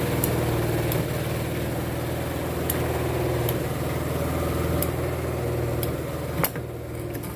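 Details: Sharp EST85CL washing machine spin dryer after repair of loud thumping during spin (suspected worn plastic joint lining, weak springs, soft or torn tub rubber seal, or uneven load); loaded spin now a steady low hum, faint light ticks, no knocking.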